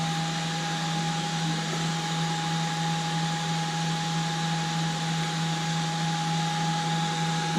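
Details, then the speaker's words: Creality CR-X/CR10S Pro printer during a bed-heater SSR test, bed climbing past 64–67°C toward 80°C. The power supply fan gives a steady, even, very loud whir and low hum with no rattle or scrape, running hard but healthy. "there you go you can hear the power supply fan very loud way louder than"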